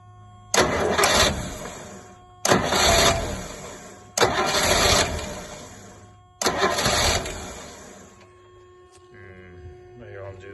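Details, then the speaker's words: Rolls-Royce Silver Shadow, cold day, rebuilt fuel pump, carb pistons freed; four tries about two seconds apart, each catching, surging briefly and dying without picking up; owner suspects blocked bowl-to-jet tubes or debris in the carbs: engine fires but will not rev. "doesn't want to do any more than that I'm afraid okay so I think maybe the tubes underneath here are blocked up that go from the bowl to the jet"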